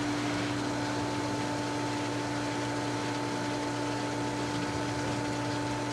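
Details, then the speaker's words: Pool pump on diatomaceous earth filter at spring opening, multi-port valve on filtration, filling the filter and working air out of the lines, gauge near 21.5–22: steady clean motor hum with no rattle or surging; normal running. "Like we are gauging. Excellent. Working out all the air in the lines."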